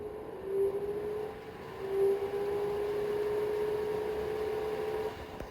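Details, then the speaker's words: Newly installed bathroom LED light and exhaust fan combo, first test after wiring: a steady low hum with a constant mid-pitched tone and no rattles or scraping. The fan runs normally and the vent blows out. "Okay, that's working properly."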